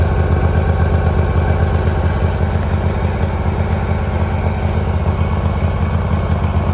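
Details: 2018 Hustler Raptor SD 54-inch mower, Kawasaki FR691V V-twin, first run after head gasket and valve seal replacement, shroud off. Warm engine idles smoothly with steady even low thrum, no misses or stumbles; smoke from spilled oil burning off, running better. Normal idle.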